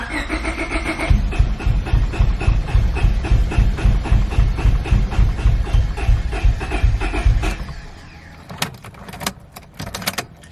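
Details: Honda Civic B20 after a block hole was welded (broken VTEC oil tap), with a new sump gasket, after two weeks sitting and a flat battery: the starter cranks evenly, three to four turns a second, with no start; lack of fuel is suspected.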